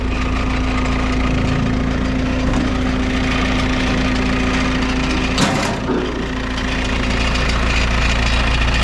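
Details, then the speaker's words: Diesel skid loader at idle: a loose, tinny rattle over the steady engine drone, suspected to be broken muffler bolts, which have broken before. The cause is confirmed as the muffler. "you guys hear that rattling i think a multiplayer the bolts on a muffler broke again"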